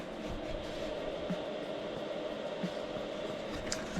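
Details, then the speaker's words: Chinese diesel heater in Sprinter van, parked flat, retrying prime: soft single pump ticks every second over quiet hum; no fuel delivered, owner suspects fuel tank; block in fuel line later found. "Doesn't seem to be getting any fuel. I've parked on a flat surface, so I think it's something to do with the fuel tank."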